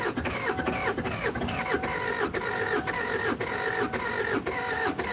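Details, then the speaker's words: Kia Sedona diesel project, first start attempts: steady slow cranking, about two compressions a second, never catches; compression suddenly sounds soft, suspected air in the fuel line, glow plugs also being considered. "And that sounds like I've suddenly lost compression. I shouldn't have. But yeah, that's gone soft. So that means I've got air in the fuel line."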